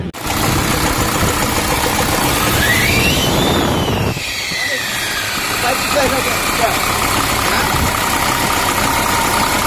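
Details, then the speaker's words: Diesel engine with injection pump just installed: loud, harsh clatter at idle that rises and falls once with a brief rev. Very noisy; injection pump timing is being set to correct it. "देखिए दोस्तों, इस गाड़ी का आवाज़ सुन रहे होंगे, ये गाड़ी बहुत ही ज़्यादा वाइज घूम आ रही है।"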